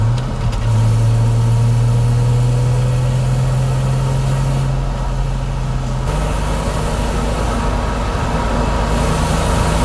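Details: Toyota Chaser JZX100 after an R154 manual swap with a DIY extended driveshaft, test drive: heavy droning hum under the engine when accelerating at low rpm, gone at higher rpm; driveline noise from an unknown cause.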